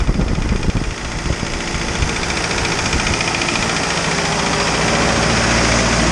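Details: Isuzu 4BD2T turbo diesel at initial startup, warming up before the thermostat opens: steady, even idle clatter settling into a smooth hum; nothing irregular, healthy engine.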